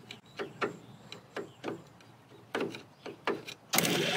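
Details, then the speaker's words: 6 V starter of the BUDA HP217 engine in a Cleveland Model 75 bucket wheel trencher parked since 1977, rusty armature: dull clunks about a second apart, then a louder steady whirr as it frees; Bendix drive suspected seized. "Oh, the starter's moving freely. Is it? Yeah. Let me see that. Brushes are probably seized up in."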